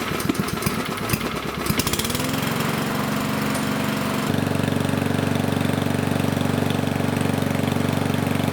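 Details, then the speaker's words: Powermore mower engine, started after the governor spring tab was lifted slightly: a steady drone that is a touch slow, still only 2800 rpm, below the ideal 3200–3600. Governed speed set too low; the tab will be lifted further. "it's still running a bit low at 2800 rpms so I'm just going to pry the tab up a little bit again"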